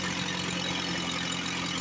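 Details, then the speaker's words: Free F.M. outboard after replacing a leaking connector, with a bad water pump giving little cooling. Short burst of buzzy idle with a slightly uneven beat; runs rough, and the owner suspects a faulty fuel pump but is unsure. "Listen to that. Is that unbelievable or what? I think the fuel pump's no good, but I'm not sure."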